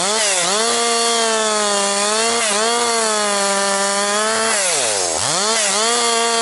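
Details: Husqvarna 262XP chainsaw after rebuild, breaking in bucking dry, dusty pine firewood; compression has come up, decent pull. High, clean two-stroke wail dips briefly as the chain bites, then snaps back to full speed; normal running under load.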